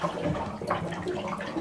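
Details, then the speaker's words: Cabin winterizing with the hot water tank drain valve turned open to drain outside: irregular glugging and splashing as water flows freely out; normal tank draining. "You can hear the water gurgling out. And when all the water drains out, you got the place drained."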